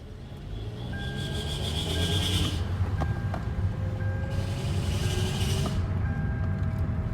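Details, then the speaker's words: 2015 Hyundai Elantra automatic, driving with ABS light on: thin high whine only under throttle, fading off throttle, shifts fine; cause unknown, owner wonders if the ABS fault is related; suspected transmission whine. "so and it'll shift into gear and it's just when i give it some gas and as you can see it's not making any noise until i give it a little bit of gas so i am not sure what that is"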